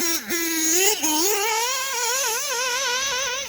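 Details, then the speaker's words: OPS Speedster Power .21 nitro engine on track, being tuned for max power: screaming steady top end with slight pitch waver, bottom end a bit rough but top clean and not lean bogging; mixture close to right. "she's revving you can hear that bottom acting like a prick but the top is good and it's not lean bogging"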